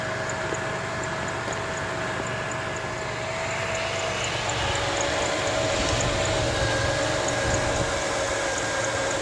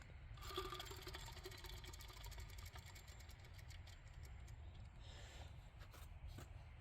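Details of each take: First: 2006 Jeep Liberty 3.7L V6 idling after the alternator was replaced and the belt refitted: even, quiet idle with a faint steady whine and no grinding or rattle. The accessory drive is healthy. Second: 2006 Jeep Liberty 3.7L V6, removed alternator spun by hand: dry, gritty rumble with rapid rattling tick from a worn alternator bearing, the source of the engine-bay noise.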